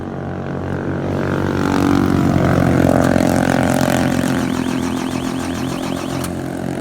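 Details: Eight-wheel double-decker bus chassis that suddenly stalled while driving: starter cranks the diesel at about three compressions a second, but it never starts. Owner suspects a filter and air in the fuel needing bleeding; unconfirmed.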